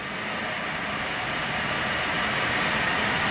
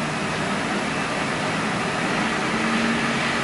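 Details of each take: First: Truck raised with the right front wheel spinning free in gear: a smooth, even whoosh rising gently with wheel speed, no growl or rumble, a healthy bearing; the humming bearing was the left front. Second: Truck with the left front wheel jacked up and spun in gear gives a low hum varying with speed from a worn left front wheel bearing; the hum was worse in right turns on the road test, and the wheel wobbles; ABS warning on.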